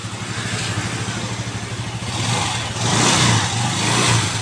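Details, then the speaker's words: Yamaha Xeon RC 125 scooter after replacing the roller housing for a rough, noisy idle: idles then revs smoothly with no rattle or grinding from the belt drive; front CVT now good; hand starter turns heavily, suspected one-way gear. "Oke dan ini pada bagian depan CVT untuk motor ini sudah bagus"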